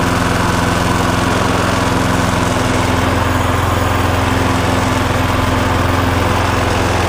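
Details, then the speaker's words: Viking lawnmower after blade boss repair with two bolts, crank found not bent, oil slightly overfilled: loud steady small-engine drone with even beat, no wobble or knocking; no longer vibrating, running normally. "but it's certainly not vibrating like it was. That's a certainty."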